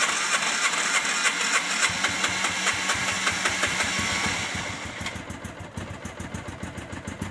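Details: Hard-starting RZR, in park, with smoke coming from the back: the engine catches and runs at a quick, uneven beat with a rattly top end, struggling to settle after the start.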